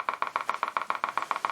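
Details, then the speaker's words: Kriesler 11-20 valve radio on first power-up, brought up to 200 volts. Steady putt-putt pulses of about seven or eight a second from the speaker with no program audible: motorboating. "motorboating well okay let's turn it off I didn't like that I don't know what's causing that"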